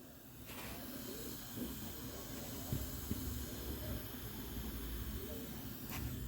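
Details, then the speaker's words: Ford Everest A/C held at 200 test pressure: steady strong hiss heard behind the dash at the evaporator, refrigerant smell present; refrigerant leaking at the evaporator, which will be removed and submerged in water to check. "Ayun o, sumisirit. Sumisirit siya. Masyadong malakas mga ka-vloggers."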